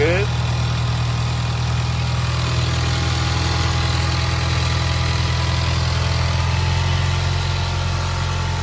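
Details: Turbocharged engine just restarted and warming up after a broken spark plug was extracted and new plugs fitted: steady, even idle with a smooth low hum, turbo whistle, no misses or knocks; sounds healthy.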